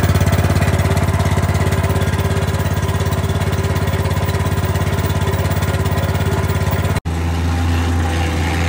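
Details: Wacker plate compactor after a new switch, an oil top-up and confirmed spark, which previously would not start: steady, even single-cylinder thrum at constant speed with no misses or knocks; normal running.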